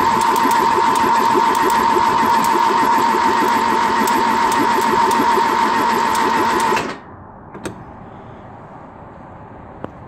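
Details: Ford 2.0 Pinto SOHC in a Mk3 Capri, unstarted for about six months, priming oil with spark plugs removed: fast, even starter whir about three and a half turns a second with no firing, slowing slightly at full oil pressure, then stops.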